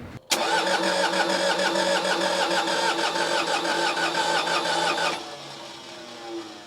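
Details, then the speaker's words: Case 1835C skid steer diesel with broken piston rings, sitting for years, glow plugs on 12 V cycled 20–30 seconds, 24 V starter; even chug about three beats a second, never catches. Cranks but will not start. "Crank it over, see what happens. Again. So far, it's not looking good."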